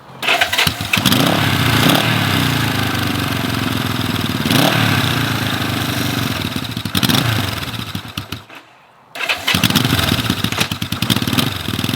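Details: 1970 Honda CB450 twin, barn find parked 20 years, first ride after revival: revs unevenly, note sagging and stumbling under throttle with a brief drop-out; bogging, cause unknown, owner to check whether fuel is dumping into the engine.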